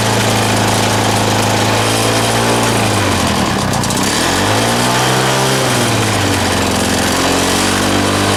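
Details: Lawn mower engine running on a homemade big-end bearing shell: speed sagging and surging over several seconds instead of holding steady; erratic running, owner hears a leak somewhere, cause unclear.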